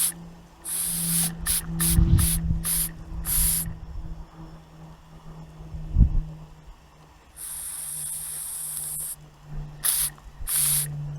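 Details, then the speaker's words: Antique inherited model steam engine, first test in years, heated from cold water, whistle left open to signal pressure: short shrill hissing whistle bursts over low hum, then a long blast as steam pressure rises. "what I've done is I've left a whistle open on the side there just as an indication when we're starting to get a bit of steam pressure up"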